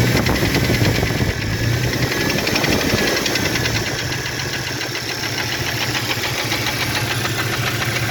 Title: what a Piston Slap Sounds like With Broken Skirt, 4.0L 2001 Cherokee XJ #pistons #4x4jeep